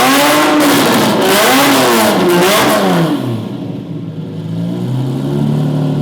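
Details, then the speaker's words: Lamborghini Murcielago with movie-spec straight-pipe exhaust, unmerged banks, being revved: harsh raspy drone rising and falling with each rev, lacking the usual high scream; owner dislikes the sound and plans to remove the exhaust. "Yeah, that does not sound good at all. And I don't want to have a Lamborghini sounding like that."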